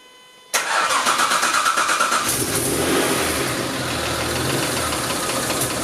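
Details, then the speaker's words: Jaguar AJ30 Duratec V6 in Gilbern restomod, injection map being retuned on aftermarket ECU: engine catches and settles into fast idle with slightly uneven, lumpy beat, not as smooth as before; later map fiddling made it run much smoother. "Well, I know it does, but it's not as r it's not as smooth as it was."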